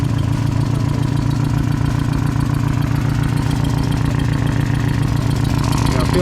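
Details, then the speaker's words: Drift car after a practice session, possibly hot: loud, choppy idle with lumpy beat about three to four pulses a second; misfire, owner fears valve damage and suspects exhaust leaking near the manifold. "yeah it's still got the misfire like it's been struggling but it sounds hopefully I didn't kill a valve"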